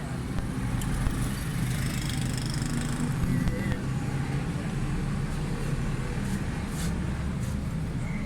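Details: 2008 Suzuki Bolan/Carry pickup after fixing poor pickup and missing by setting distributor timing and carburettor jet: steady even low idle rumble with no misses or stumbles over street noise; timing correct, running smoothly.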